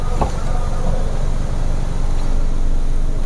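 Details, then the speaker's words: Engine from Kalimantan after a teardown and new pistons holds a steady 1500 rpm with an even hum; the earlier knock at that speed is now almost inaudible. "Nah ini RPM 1500. Nyari tak terdengar suaranya Pak."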